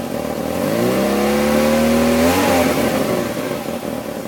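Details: Peugeot 306 phase 3 1.6 NFZ engine revs, then settles into an uneven, lumpy, hunting idle like a cammed engine, after head gasket replacement; no vacuum leaks found, owner suspects cam timing belt off a notch or two; rough idle.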